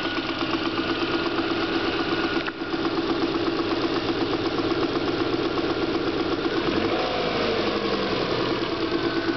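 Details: Subaru EJ22 flat-four at 235,000 km idling evenly: a dull, fairly irregular knock about four times a second under the exhaust note. Owner suspects piston slap; lower-end knock, not confirmed.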